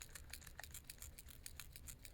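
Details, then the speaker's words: Dewalt DCD794/DCD799 cordless drill shaken with no bit fitted: a quick light clicking rattle, about six to seven clicks a second. This is normal and thought to come from the ratcheting mechanism. It goes away once a bit is tightened in. "when you shake it around without a bit sounds like there's something loose in there that's perfectly normal I believe it's the the ratcheting mechanism that causes it"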